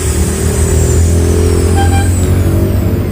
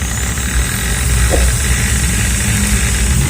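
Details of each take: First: Maktec MT60 drill after its front gear was adjusted to cure a rough, cracking gear noise: a steady, even motor hum in left rotation with no rattle or grinding; now runs smooth. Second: Maktec MT60 electric drill: steady motor whine over a coarse, rough rattling growl from the front gear area at full speed, caused by burred, chattering gear teeth in the gearbox.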